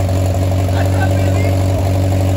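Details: Oliver 550 tractor's first start in 30+ years after an ignition and starter rebuild, choked and run only briefly with no water pump belt. A steady, even low drone with no misses or knocks; normal running.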